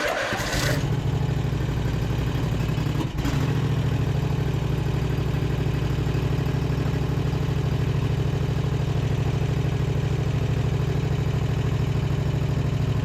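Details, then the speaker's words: Husqvarna RZ5424 zero-turn mower that would not start or turn over, started by jumping the starter signal wire: catches quickly, then settles into a steady, even low throb with no misses or knocks. Normal healthy idle. "okay it's literally idling like a champ"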